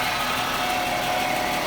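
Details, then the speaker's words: 1996 Jaguar XJ6 after an oil change, good oil pressure, no leaks, no longer skipping: steady, even idle with a smooth hum and no knocks, misses or ticks; normal healthy idle. "but other than this sounds pretty good that's a good sign the launch there's not too much coming out she's a healthy engine"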